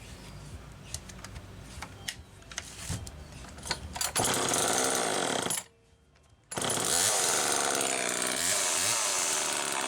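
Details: Homelite XL-2 chainsaw after bar maintenance, test run checking oiler: after handling clatter it snarls to full revs, drops briefly, revs cleanly again with steady high whine; sprocket somewhat worn and noisy; normal running.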